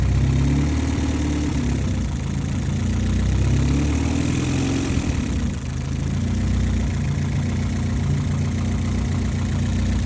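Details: Honda Civic, engine hot, temperature not above 90°C at idle: hot idle hunts, drifting up and down with a noticeable sag mid-clip; owner suspects vacuum leaks, cause unconfirmed, and notes it also over-revs accelerating from idle.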